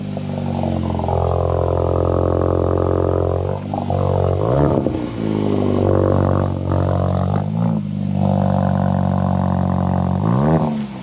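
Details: 2022 VW MK8 GTI, first start after installing ECS 4465030 non-valved catback exhaust: deep, steady exhaust drone rising and falling cleanly with revs, no rattles, blowing or scraping; healthy exhaust.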